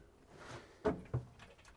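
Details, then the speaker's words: Willys Wagon built on a Jeep YJ drivetrain and fuel system: at key-on, two dry clicks, probably the fuel pump relay, then silence with no usual pump buzz. The engine cranks fine but won't run; the fuel pump was diagnosed as failed and replaced. "key was I was not getting a fuel pump running I can hear something clicking like I'm getting probably a relay for a fuel pump but usually I could hear the fuel pump buzzing"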